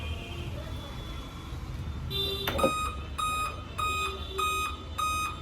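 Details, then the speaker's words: Dell/HP laptop at power-on with no display: five short, evenly spaced high beeps about half a second apart, the five-beep POST code for a failed CMOS battery. "तो laptop on करते हैं तो इसमें जो है कि 5 बार beep करता है। तो लैपटॉप ऑन करके दिखा रहे हैं, ठीक है। 5 बार बीप आता है इस लैपटॉप में।"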